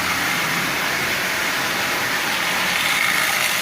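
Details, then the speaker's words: Marx 898 toy locomotive, oxide-covered, cleaned, lubed and tuned, pulling 23 tin litho cars: steady high-pitched whirring grind with no rhythm; noisy intermediate gear, expected to quiet down with more running. "so far I've found nothing wrong with it other than the fact it has noisy years but like I said the more it runs the better it will run and it will very likely quiet down"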